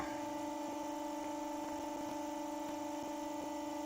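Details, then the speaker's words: New RC bearings on a motor holding about 1400 rpm (1416); steady quiet hum, no grinding or rumble. Much less friction and drag than the old China bearings, which whooshed. "that is that just goes to prove that goes to prove what happens when you have decent bearings and it's definitely true what they said on the um on the bot on the packaging about it being friction free yeah much less friction or less drag"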